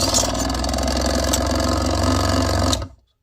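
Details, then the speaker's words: Proxxon mini scroll saw with added arm hinge, running with blade lifted clear: fast, choppy rattling stroke with an uneven beat; blade tension too tight, smoother after loosening. "My tension is too tight. I'm going to loosen it up a little bit."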